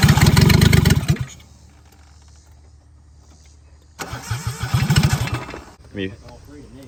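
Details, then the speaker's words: 1996 Geo Metro three-cylinder after plugging vacuum leaks and hooking up distributor: cranks with loud uneven chuffing and popping, catches briefly then dies; ignition firing order wrong, distributor rotates counterclockwise. "We're going to see if it fires off. Give it a little shot. [Music] >> Okay. So, the >> firing order is off."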